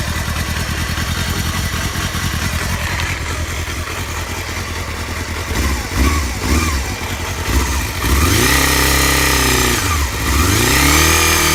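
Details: Honda Hornet 250: small four-cylinder idling with an uneven, rough pulse and revving up and down unevenly; abnormal engine noise, cause unknown.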